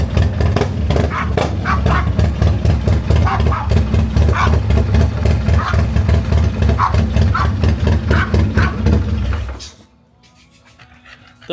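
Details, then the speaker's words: Harley M8 128 V-twin, first run after rebuild with spare parts, no balancer fitted: lumpy, loping V-twin beat with plenty of vibration from the missing balancer, but lifters quiet and no top-end ticking; healthy running. "lifters hardly made any noise. >> Yeah, this one I can just hear the the vibration with no balancer."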